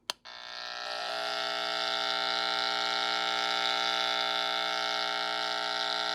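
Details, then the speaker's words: Electrical interference heard through an LM386 antenna-probe hum finder held near a Nixie clock's high-voltage switching power supply: a steady high electronic whine with stacked buzzing tones. Switching supply noise. "the Nixie clock and its associated power supply. That's the switching voltage to light the Nixie So there's something right there that's generating a lot of noise."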